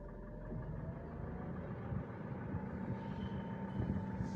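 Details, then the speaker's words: 2017 Mitsubishi Pajero Sport diesel, 104,000 km, stationary idle inside cabin, A/C switched on: thin steady whistle grows louder with A/C load; turbo whistle. "Coba kita nyalakan AC-nya, suaranya tambah kenceng dan suaranya juga tidak abnormal ya, tambah banter."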